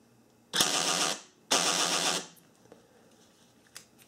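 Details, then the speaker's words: 1994–1997 Honda Accord door lock actuator, before repair (driver side, extra switch wires): two harsh buzzing grinds about a second each as it drives one way, silent the other way; gears slipping, culprit a fallen-out rubber bumper dot. "now I'm just going to show you that it does make the noise in One Direction it's silent in the other"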